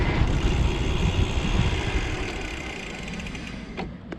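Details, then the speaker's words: Specialized Turbo Como 5.0 e-bike, Brose mid-drive with 90 Nm and an 11-speed Shimano Deore derailleur, riding with wind and road rumble: with pedal pressure eased, the gear changes cleanly with a couple of light, soft clicks, unlike the popping under full load. "And you know, it's tough stuff, but it's going to be a little bit better if you can just ease into it like this."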